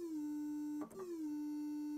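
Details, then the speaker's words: 1984 Roland Juno-106 in test mode, noise at zero and square wave on, cycling voices: steady buzzy note drops out at voice 2, which stays silent while 3, 4, 5, 6, 1 sound; failed voice chip number 2 (A1QH80017A), epoxy to be removed. "There's a problem with this voice chip number 2. The sound comes out and then doesn't come out, right?"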